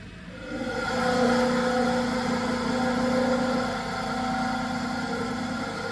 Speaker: So when you turn this on, we will be able to hear it.